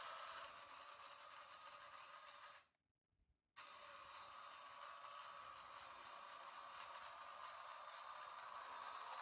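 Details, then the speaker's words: Henglong Panther G RC tank gearbox after fitting bearing axle supports to the drive shafts, engine sound off: steady high gear whir with light even ticking, brief stop and smooth restart, no binding or struggle; gearbox not warm, sounds normal. "also one reason why I turned the engine sound off, so we can hear the gears, and everything sounded normal. I did not hear any kind of binding or struggle during our test."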